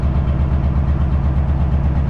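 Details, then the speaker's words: 4x4 heavy truck diesel revved to recharge air brake system to 8 bar after parking brake release; deep steady drone with even low pulsing, healthy normal compressor charging. "Donc on laisse recharger encore jusqu'à 8 bars. Vous pouvez accélérer, hein. Alors on y arrive."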